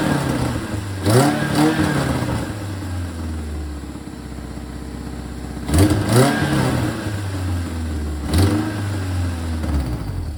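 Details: Supercharged Toyota MR2 Spyder with new full custom exhaust, header fitted without a gasket: engine catches and blips sharply with raspy puffing chatter on each rev from a large header exhaust leak, plus a slight V-band leak.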